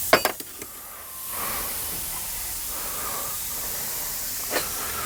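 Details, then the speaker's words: Garage air compressor pressurising a new PEX hard line: a few sharp pops, then a steady high hiss held for seconds as compressed air escapes where an old air hose split. "here's the hose sounds like I popped one oh something so that piece of Hose is failed this is air hose this piece of Hose"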